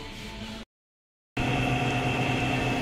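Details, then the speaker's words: Automatic washing machine with noisy running, motor bearing suspected since spin is quiet: smooth steady hum with faint even tone during spin dry, no grinding or knocking; spin runs quietly. "So ayan na nga mga kaik no pagka spin dry siya ay tahimik lang."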